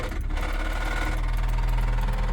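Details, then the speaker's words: Right-hand-drive Acura Integra, manual transmission, idling in neutral with clutch out in cold weather: heavy low rumble with rapid sewing-machine-like chatter; gearbox fault, cause unknown. "what could that be [Music] at least the car rolls that's a plus yeah not good that's oh that sound is so bad"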